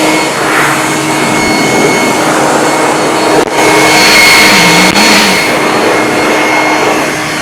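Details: Off-brand two-speed leaf blower, second unit bought after the first failed, outdoors behind the workshop at full speed: steady high whir, clean even tone, strong rushing air, no rattles or wobble; normal running at full speed.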